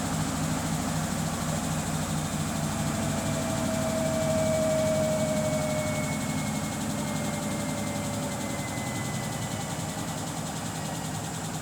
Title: Samsung Bespoke AI WW11BB704DGW clicking noise while spinning